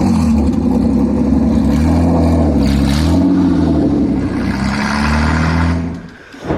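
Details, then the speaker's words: V6-swapped Toyota MR2, new exhaust fitted but muffler not yet installed (still waiting on it): very loud, raw, harsh V6 exhaust barking through revs and settling back, "stupid loud, insanely loud"; loud only because the muffler is missing. "obviously you can see there's no mouth on the car and it is stupid loud like insanely loud"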